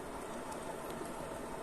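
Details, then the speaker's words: Yamaha Fazer 250 engine split open, crankshaft turned by hand, well oiled: gritty continuous rumble, abnormally loud, from a damaged crankshaft bearing; louder when the engine is hot and at high rpm. "ver se dá para escutar o barulho e esse barulho não é normal que eu falei rolamento tá bem lubrificado né porque o motor acabou ser desmontado tem bastante óleo e ele tá muito alto esse barulho"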